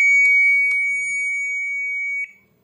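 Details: IFB front-load Ultra washing machine control board, previously dead with only relay clicks, after replacing the faulty 7-pin switching IC. It powers up normally with one long two-second beep and a couple of relay clicks.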